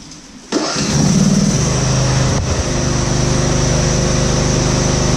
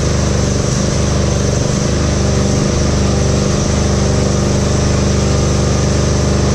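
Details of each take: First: Husqvarna GT52XLSi lawn tractor, 24hp Briggs & Stratton, after replacing the carburetor jet O-rings, not fully warm: catches at once and settles into a quick, even idle with no hunting or surging; the governor holds steady. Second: Husqvarna GT52XLSi lawn tractor, 24hp Briggs & Stratton, just started, up on stands: a steady low drone with slow repeated dips and pickups, surging worse when driving; hunting idle from bad carburetor jet O-rings.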